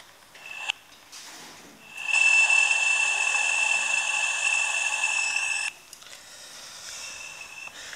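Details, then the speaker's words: Pressurised water pipe leak: a steady high hiss at constant pitch from the failed joint, at a spot with an earlier cold-weld repair that did not hold. Water runs along the supply pipes to the manifold box. "le problème il est juste là, ici. Exactement là. On entend bien la fuite."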